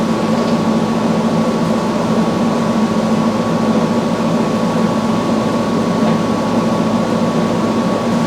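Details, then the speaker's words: Samsung front-load washer after replacing all four shock absorbers with OEM shocks, running a calibration spin with an empty drum. A steady motor hum with a clean constant tone and no knocking or banging; calibration runs smoothly, normal. "the same time CB for calibration we're going to hit go going to let it do its thing kind of see what's see what's going on in there a little bit and the drum has to be empty can't be any water in there"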